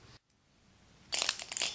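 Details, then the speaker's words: STEM Gatling six-cylinder Ringbom rotary Stirling engine turned by hand: after a quiet moment, a quick cluster of light, sharp metallic clicks from pistons working against the displacers; normal displacer clicking. "when you hear this clicking what is happening is as that piston goes up and down it's working against the displacer and causing them to go back and forth"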